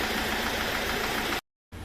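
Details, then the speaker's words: Fiat Ducato van diesel at idle: hard rapid knock over the clatter, then cuts off; teardown found a badly dented oil sump and heavy wear of piston and liner in cylinder four, piston slap; full engine rebuild needed. "aí dando esse desgaste enorme no pistão e na camisa do quarto cilindro aqui. Então a gente vai ter que fazer o motor completo, beleza? Então isso aí é o tá aí o motivo aí da da batida aí, né? Quando ela funcionava."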